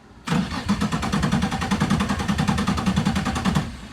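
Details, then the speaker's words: Nissan 240SX drift car with VQ35 engine, sat about 6 years: steady starter cranking about 2.5 turns a second, no firing, no fuel pump buzz; fuel pump not moving fuel, crank no start. "The pump does something, but I don't think it's moving any fluid. Because you don't hear it buzz. That pump should be louder than fuck."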